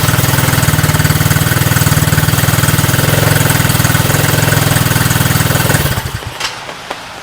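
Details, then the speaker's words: Coleman Scrambler 125 Chinese ATV after a new carburetor, new battery and draining the old gas: even, quick single-cylinder idle with no misses, then switched off; it runs fine. "Less than $25 for a carburetor, and put a new battery in it. Starts up and runs fine."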